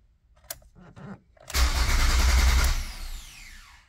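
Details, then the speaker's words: 2005 Ford Focus ST, key cranked with clutch in, PATS appears to work: starter spins the engine steadily about a second but it never fires; crank no start, owner suspects an engine-bay fault, possibly the cam sensor. "so the pat system actually seems to be working which is also great that means that the cranking issue has to be something in the engine bay so i gotta go do a lot more digging"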